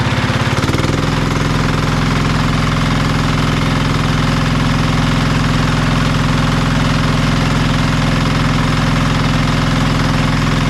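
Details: Marketplace diesel generator of unknown condition, tested after reassembly: catches and settles into steady even thump about three beats a second, no knocks or misses; engine runs well but generator still produces no power.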